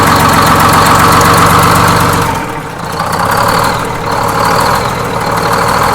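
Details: Detroit Diesel 6-71N two-stroke in a bus after fresh in-frame rebuild, fuel jumpers being checked for leaks; steady fast clatter about four beats a second with loud blower whine, even and unchanging: normal idle.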